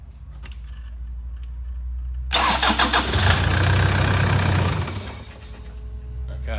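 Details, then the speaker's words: Toyota Prado diesel started right after an under-bonnet fuel filter change: short crank catches and runs a couple of seconds, then loses its beat and dies; starts then stalls, owner suspects air in the fuel system and plans to pump it. "see what happen it started and it stopped again"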